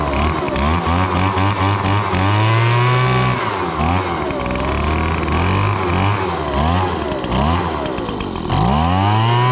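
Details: Echo PB-2155 handheld blower, 21.2cc two-stroke, repaired after sitting about 2 years without starting: a raspy buzz climbing and dropping with repeated throttle blips, picking up cleanly each time, now running healthy.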